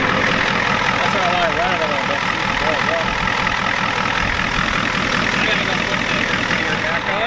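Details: 1993 Ford F-250 7.3 IDI diesel idling after the injection pump was turned up: typical clatter, fairly even at about two and a half beats a second with no missing strokes; sounds better, running fine.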